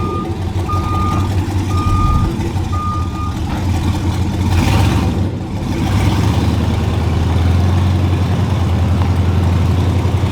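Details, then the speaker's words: Monster truck school bus on its maiden drive, reversing: three steady beeps about once a second over a low engine rumble; backup beeper working normally, though owner notes the bus keeps popping a little for unknown reasons. "oh you hear that backup beeper that's cool"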